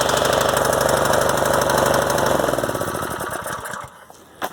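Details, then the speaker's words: Predator 212 single-cylinder engine on a garden rototiller, test run after carburetor replacement with air cleaner off and choke on; fires evenly at a fast steady beat, then dies away; no gas leaking, sounds healthy. "up no gas leaking good"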